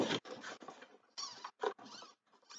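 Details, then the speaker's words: RC foam airplane servo, foam worn: short buzzing bursts of motor whine as the servo sweeps back and forth, starting and stopping cleanly; servo working okay, normal operation. "sounds like that servo's working okay."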